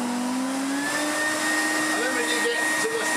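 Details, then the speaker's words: Restored 1980s AEG Compact Electronic 406 vacuum cleaner: steady high motor whine with a slightly wavering tone, sounding rough; owner suspects the top motor bearing was pressed in slightly crooked during refurbishment. "I think I may have tapped the top area online I keep looking at those bearing presses that you get thinking I should probably get one of those yeah I think I put the top bearing on on a slight wonk or just tweaked it as I have it at home so"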